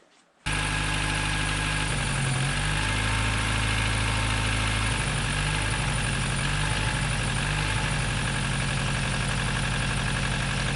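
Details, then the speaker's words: 2007 Nissan Versa 1.8-litre at idle before spark plug, coil and PCV valve replacement: low, uneven, lumpy shaking idle with a wavering note, likely misfiring; lacks power, vibrates at low speed, possibly a broken motor mount too. "let's just start it up and see if it runs all shaking"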